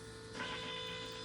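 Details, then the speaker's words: Land Rover Defender TD5, engine off, after replacing a leaking fuel regulator unit (LR016319): steady electric whir with a constant mid-pitched hum as the fuel system primes and purges air before starting; normal priming cycle. "there don't know if you caught that there that's the air being purged so we wait for that to finish then we'll fire it up"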